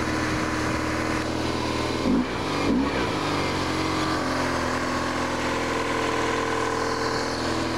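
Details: BMW R1100RS oilhead at about 75,700 miles, fitted with a mechanical oil pressure gauge; owner reports the oil light flickers at hot idle in traffic and it has overheated. An even, steady idle with a smooth low thrum, no knocks or ticks; normal idle.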